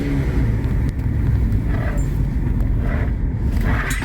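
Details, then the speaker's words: 2012 Chevy Equinox after an engine install and timing chain work, with P0016/P0017 codes cleared. A deep, rough, raspy exhaust rumble at steady idle from the clamped-on, non-welded rusted muffler. Exhaust leak at the muffler. "it is a little loud with that muffler but that's an easy fix it's not even welded on i saw it's just got clamps"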